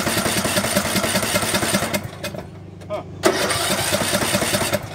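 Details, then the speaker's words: Craftsman LT1500 17.5 hp riding mower after carburetor cleaning and fuel tank flush: runs unevenly, nearly stalls, then catches and runs roughly again; fuel starvation because the fuel valve was left shut off. "It acted like it ran out of gas, didn't it?"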